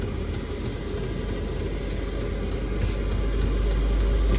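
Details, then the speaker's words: Chinese diesel air heater (Webasto-style) ramping up, drawing a few watts with spikes to 26-28 W: steady low roar with even fuel-pump ticking about four a second, growing louder as it climbs toward full output; running normally. "Et là, il est pas encore à fond. Il faut le temps que ça monte. On entend, là, il s'énerve."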